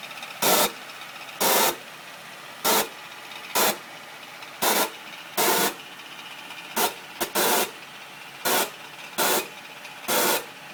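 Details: 2009 Acura MDX at idle after an A123 service: irregular sharp hissing bursts, about one a second, over a steady background hiss; strange noise.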